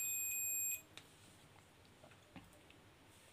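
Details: Multimeter repaired after a beep fault where the continuity buzzer sounded on its own without probes connected: now one clean high-pitched beep under a second, then quiet, sounding only on contact; normal continuity beep.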